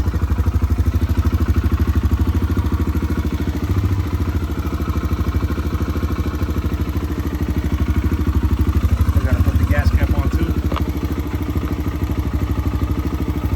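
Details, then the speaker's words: 2009 Kawasaki KLX140L dirt bike, sat about two years, first start after reconnecting spark plug: even, steady single-cylinder beat with clean firing, no knocks, rattles or misses; normal running and revving. "here it is guys thing fired right up I keep forgetting that SP mod on all my videos go look at them and I'm always forgetting it it sounds like it runs pretty good though"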